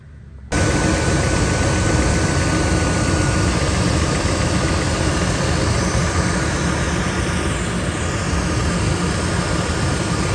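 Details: 1999 Ford F250 5.4L Triton 2V, after clicking no-start fixed by bypassing frozen AC compressor clutch with a shorter belt: steady, even engine drone, no ticks, squeals or grinding; normal running.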